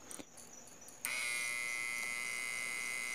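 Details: Homemade 12 V to 220 V inverter with a small transformer, powered from a bench supply rather than a battery, driving a lamp at about 125 V output: a click, then a loud steady high-pitched transformer buzz under load.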